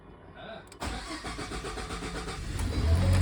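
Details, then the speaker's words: Ford Expedition EcoBoost first start after a timing chain and cam phaser replacement, following an earlier electrical no-start: short crank, then it catches promptly into a steady, even idle with no knocks or rattles; normal start and idle. "oh it started without the fuel thing on uh well it started and the impression sounded really good so wow"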